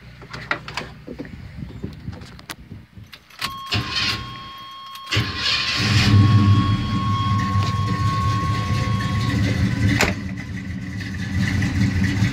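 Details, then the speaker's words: 1984 Chevy C10 truck after a new alternator and belt were fitted (it had a squeaky belt and a fire); a few clicks, a short crank, then a steady, even idle with no squeal, normal idle. "sit there and let it run for the longest and seems to be doing good"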